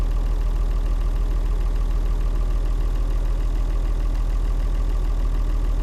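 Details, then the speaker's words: Leyland tractor with rare six-cylinder Leyland 698 diesel in a vintage collection, described as sweet, beautiful running; steady, even low thrum at idle, about three firing pulses a second, no knocks or misses: normal healthy diesel idle. "i like them they're lovely sweetground and six cylinder uh it's a 698 leyland engine beautiful running thing and quite rare"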